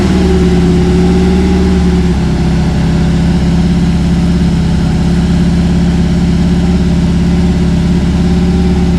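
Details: Cammed Chevy C10 square body after tune-up, sat months with dried-out carburetor, primed: deep loping V8 idle with choppy cam rhythm, steady, no dropped beats, earlier miss gone; normal cammed idle.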